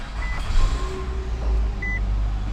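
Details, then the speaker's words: Nissan Altima idling with AC on after the AC compressor was reinstalled following a clutch failure: steady low engine hum with faint chimes, compressor clicks on, no rattle heard. "cool i don't hear the rattly rattle noise ac is on i just heard the compressor click on i still do not hear a rattle noise so this is good"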